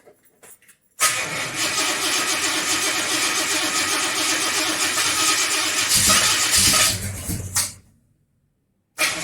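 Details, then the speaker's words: XC Ford Falcon 351 Cleveland, cold start after months sitting, with new plugs and timing reset to 14° initial and 34° total: catches quickly after a brief crank and settles into a steady idle with no misfire. "so far so good it's idling"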